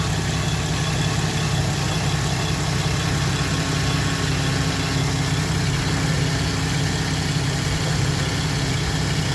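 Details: Holden VE SV6 V6 at idle after power steering reservoir replacement, steaming and running hot: steady idle with a faint rattly, chattery edge; owner suspects timing chain, unconfirmed.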